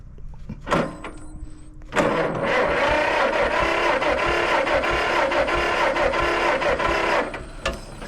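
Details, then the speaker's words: 1950 John Deere model MT, two-cylinder upright engine of about 100 cubic inches, cranked after getting very wet: steady starter chugs about two a second for five seconds, no firing. "everything got really wet let's see if she'll fire up I don't like how wet it got"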